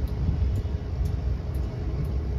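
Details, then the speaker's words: Caterpillar C7 diesel, ignition on, engine off, during CAT ET ECM injector solenoid test for injector current faults: sharp light ticks about twice a second as the injector solenoids click one at a time; normal. "okay is coming up and you can actually hear the the injector solenoids clicking one at a time so this is the ecm self-test this is checking the wiring and the solenoids on the injectors"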